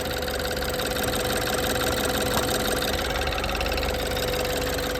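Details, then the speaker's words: 2015 BMW 428i N20 after upgraded timing chain tensioner to cure cold-start chain slap: steady idle with light fast ticking, no chain tapping, smoother idle; normal fuel injector tick. "fuel injector noise that's fairly normal, I suppose. But so that Yeah, definitely less it's not like it's not tapping anymore."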